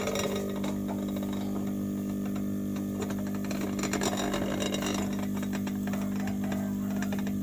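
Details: Refrigerator compressor after a welding repair, restarted the next morning with oil rising: a steady low electric hum with an even drone and no knocking or rattling; it starts and runs smoothly.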